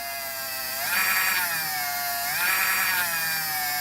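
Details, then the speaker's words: LGB small locomotive motor and reassembled gearbox at about 15 volts, loaded by fingers from half an amp up to 2 amps: smooth whine dropping in pitch under load and recovering cleanly; motor warms slightly but runs smoothly, normal. "It runs nice and smooth, and I'm putting quite a lot of pressure on now, and I can get it up to 2 amps, but I'm just putting my fingers on there and it goes to 2 amps."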